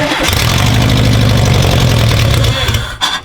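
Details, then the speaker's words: 1984 VW T3 bus with 2.5 swap after new wiring: brief crank, fires right up into a steady even idle without missing; runs nicely. "that was really good that runs mint no fire's right up runs nice idle's nice"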